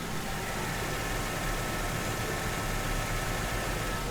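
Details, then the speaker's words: 2004 Mercedes CLK320 idling with the microphone placed near the engine: a steady, even idle hum with no knocks, ticks or misses. Runs and drives well; the engine sounds healthy. "Does that sound good or what?"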